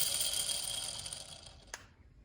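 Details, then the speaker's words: Kawasaki 650 X2 jet ski two-stroke crankshaft spun by hand during rebuild: dry gritty rasp fading as it coasts down, rough bearing; crank to be replaced, contrasted with a quiet good one. "all right well I was in the middle of doing the rebuild and the crank is gonna have to be replaced"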